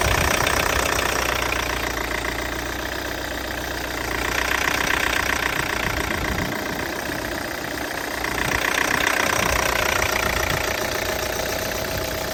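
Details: Peugeot 508 SW 2.0 Allure idling after it stalled 20 seconds after starting and was hard to restart with a warning message: fast, steady knocking tick with a rough note rising and falling every few seconds; cause unknown.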